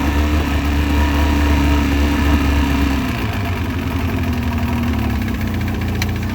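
Outboard idling with a steady hollow knock, about four per second, riding over a low rumble; that's piston slap at idle.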